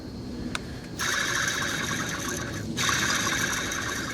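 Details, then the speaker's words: Hand-spun idler pulley from a 1995 Ford F-250 4X4 small-block V-8 gives a gritty, hissing scrape: worn bearing with dry grease and slight play, about to fail; replaced with an OEM Gates pulley during a radiator and cooling-system overhaul. "so it's just about ready to fail it doesn't have a whole lot of play in there just a little bit but you can tell that the bearings in there are starting to get kind of uh the grease in there is getting kind of dry"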